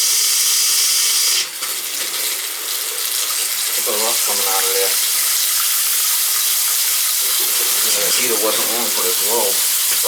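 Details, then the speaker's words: Gas water heater repaired for no hot water: a hissing rush of water spits and sputters in uneven bursts as trapped air is bled from the hot water line after the repair. "there's probably a little air in there still you know i'm gonna go upstairs and bleed the air out of the thing"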